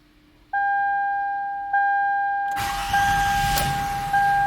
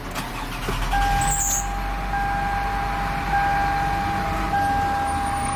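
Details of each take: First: 2005 Toyota Sienna with intermittent starting problems, after fitting a new Ultima part and charging the battery three hours: warning chimes, brief firm crank, catches right away into smooth even idle; normal start. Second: 2005 Toyota Sienna with intermittent no-start, starter suspected failing: after tapping the starter through a steel pipe, a short crank catches straight into a steady idle, door chime pinging.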